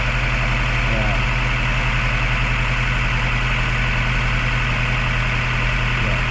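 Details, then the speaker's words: Mazda 3 just after a top overhaul following overheating: uneven, lumpy idle with a shaky low throb felt through the body; suspected dead spark plug, ignition coil or fuel injector, unconfirmed. "so nagc start siya pero sobrang yanig yung makina Mararamdaman mo rito sa body"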